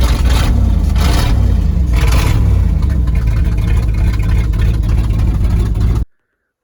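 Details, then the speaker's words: 1971 Ford Highboy boom truck in below-zero weather, restarted warm after a heat cycle: old V8 running with a steady deep drone and a couple of light blips, pulling clean and even; healthy warm restart. "I let it get a good heat cycle in it before I shut it off there you go yet another Testament to how tough these old Ford High boys are this old thing has never let me down she always fires up and here's a prime example of it"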